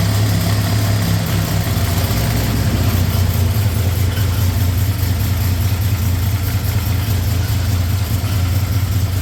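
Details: V8 car after installing a freshly rebuilt TH400 transmission with tighter gear ratios and filling fluid: deep even idle, steady low rumble, no knocks, misses or whine; runs smooth and healthy.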